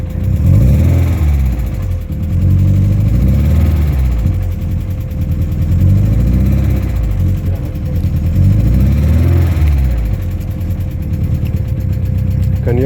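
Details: VW Golf Mk1, cold start during ignition timing check: idle lopes and wavers with an uneven beat and occasional slight miss; ignition timing set too late.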